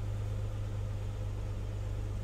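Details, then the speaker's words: 2008 Chrysler Town & Country 4.0 V6 at warm idle: deep steady hum with slight uneven dips from a P0304 cylinder 4 misfire that occurs only at idle; coil, plug and injector were swapped to cylinder 6 and the misfire stayed on 4. "está caliente empieza a fallar aquí empezó a aventar un miss fire 234 empieza a subir"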